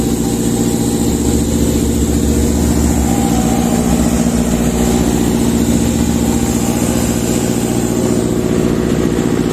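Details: Sullair 260 diesel compressor under load, poorly maintained: heavy steady low drone that never climbs, lugging, not reaching speed or pressure; misadjusted speed regulator; engine bogging.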